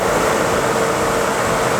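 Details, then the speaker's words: 1994 Renault Espace 2 heater blower motor, bench-tested after replacing the thermal fuse on the heater resistor, run through the speeds: steady rushing airflow with a smooth mid-pitched hum. All speeds work normally. "nous allons faire un test avant de remonter voir si toutes les vies text fonctionne du moto ventilateur vas-y pour mieux la vitesse voilà deuxième troisième"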